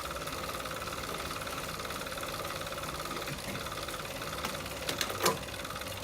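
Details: Tacx Flux bike trainer: quiet, fast, even gritty ticking running steadily under the spinning hum; a fine mechanical grind from inside.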